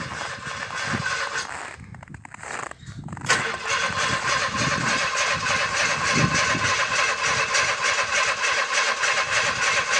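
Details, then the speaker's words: 1961 narrow-gauge Bombardier, parked over a month at -31 C, cold start on a boost from another vehicle: several seconds of sputtering cranking, then it catches and settles into a steady run on the third try; possibly flooded. "Possibly flooded now, I don't know. Flooded. Flooded, okay."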